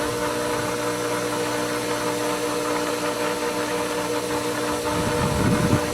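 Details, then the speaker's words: Pool pump at season opening, primed on the first skimmer, then the longer-run second skimmer opened all the way at once. Steady hum, then faint gurgling rush as some air is drawn in; slight air ("little wee-woos"), risk of losing prime. "you put too much air in the pump, you can lose prime and lose it enough that it won't suck it. But we got little wee-woos."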